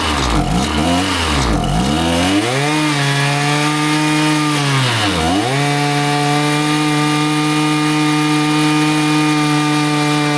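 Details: Husqvarna 525PT5S two-stroke pole saw after a carb refresh, with both mixture screws set a further quarter turn rich: revs sag sharply as the throttle opens, dip again mid-run, then climb to a steady high scream. It bogs coming off idle and ignores low-speed adjustment; cause unconfirmed, possibly not the carb.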